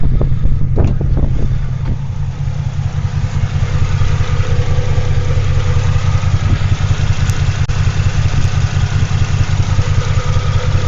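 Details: Toyota Tacoma X-Runner after a burnout, exhaust baffles blown out, no oil pressure reading yet: uneven, lumpy idle with a stumbling beat two to three times a second; owner suspects a misfire; rough idle.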